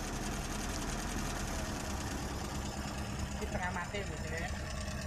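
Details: Old Mitsubishi Colt petrol engine with points ignition, sputtering and down on power: uneven, lumpy idle with a loping exhaust beat; one cylinder isn't firing, dead plug lead on cylinder four.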